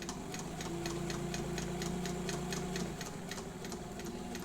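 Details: Reconditioned vintage White Rotary straight-stitch sewing machine, presser foot down, sewing slowly: light, even needle ticking at about three per second over a soft motor hum, a smooth, healthy slow-speed run.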